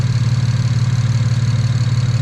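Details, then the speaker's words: Single-turbo BMW 335is after overboost fix and bank 1 O2 sensor swap, idling with oil temp only 93 while warming up: even rapid low thrum, no misses or knocking; strong, healthy, purring idle. "It sounds strong. This motor sounds healthy. Purring, it's purring, it's purring."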